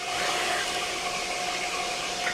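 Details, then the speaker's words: Loud PC fan, new 140 CFM unit, audible in the room: steady loud airy whoosh with a thin constant tone, like a hair dryer. "hoje a aventurinha da do meu pc então eu botei um evento em nova como é 140 cfm é o cara tá parecendo barulho de secador de cabelo"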